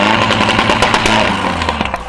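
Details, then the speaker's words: Audi 1.8T four-cylinder turbo after installing R8 red-top coil packs (suspected dead coil pack/misfire before): strong, clean revving under load with even pull, no stumble or popping; sounds far healthier, healthy engine revving under load. "that's way more healthy way more healthy horse sounds way better way better"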